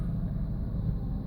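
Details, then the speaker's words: 2004 Porsche Boxster S (986) idling a little under 1000 rpm: low, even rumble with no knocks or ticks, normal idle; transmission noise appears only on throttle, later traced to a transmission bearing. "know if you can hear the engine at all but it is running running a little under a thousand which is normal no problems at all there"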